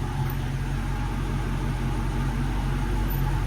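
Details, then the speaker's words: Wrecked Dodge Charger R/T Hemi bought at Copart, with a new water pump and replaced transmission, idling: a deep, steady V8 idle with an even low rumble and no knocks, ticks or misses. The engine runs healthy. "this motor sound healthy man got a brand new water pump down there as you can see I mean man this thing sounds so healthy"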